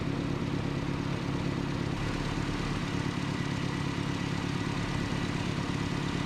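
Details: 1988 Nissan D21 truck, 2.4L Z24 four-cylinder: steady low rumble at idle, even and settled with no surging or hunting; normal idle in a rough/surging idle diagnosis involving vacuum line repair.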